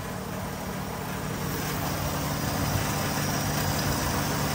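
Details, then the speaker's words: Car under repair after fuel pressure regulator work, idling while the idle is tuned: quiet steady idle with a light, uneven rattle about three times a second; source unknown, owner suspects the fuel line but is unsure. "we have a uh Ratt of some something in our something in there's rattling so we got to fix that it's probably our fuel line actually"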